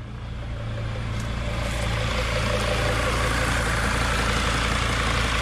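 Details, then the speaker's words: T1N Mercedes Sprinter diesel after repair, critters in the intake pipe thought cleared by blowback: steady even diesel clatter with no misses or knocks; runs strong, normal idle. "it's behaving as it should it's raw it's running actually pretty strong"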